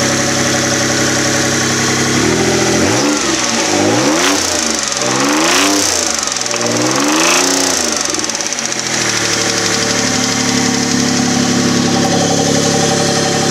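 A hard knocking rides on the engine as it revs up and down repeatedly, quickening with the revs; the source is undetermined.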